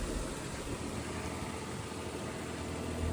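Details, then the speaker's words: Daihatsu Atrai turbo kei van, 172,000 km, cold start on a snowy day: steady even low idle with no belt squeal or chirp; healthy. "Let's start it up. No belt squeal. On a nice cold snowy day."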